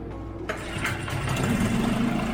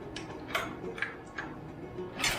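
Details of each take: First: Barn-find 4-stroke 5 hp Mercury outboard, after clearing the water outlet: catches after a short crank and settles into a steady, even idle with no misses or knocks, water flowing; runs healthy. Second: Mercury 5 hp four-stroke outboard, barn find in long storage, dirt dauber nest on carburetor, first pull-starts: a few pulls and sputters, then catches into a steady, slightly uneven running buzz; water seen from tell-tale.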